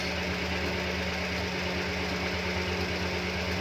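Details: Idling F6 engine with a loose, uneven knock of roughly three beats a second over the steady running note, accompanied by white smoke.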